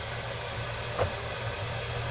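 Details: 2003 Chevy Silverado 2500HD 4x4 6.0 with P0300 misfire code, leak-down test on number eight cylinder: steady rushing hiss of air escaping from the exhaust while pressurised; burnt exhaust valve.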